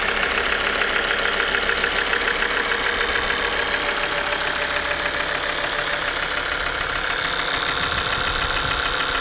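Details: Engine idling with steady clatter and sharp ticking about twice a second; cause was faulty injectors and oil pump, not shown by diagnostic scan; noise gone after replacing them.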